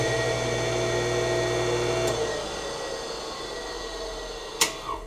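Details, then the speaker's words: Roughly 40-year-old Campbell Hausfeld 20-gallon air compressor motor run with no load, contactor closed by hand: smooth steady hum with light whine, then clean coast-down without scraping or knocking; bearings good, motor works unloaded. "with no load everything seems to be working"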